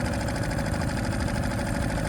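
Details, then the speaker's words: Suzuki 2.5 HP outboard after a pull start: high rpm on choke settles, choke pushed in, then a steady, even idle with a smooth low throb and no knocks or misses; a small throttle turn raises rpm. "you also hear the rpm start to settle down as that drops you can now push the choke in it's idling very nicely"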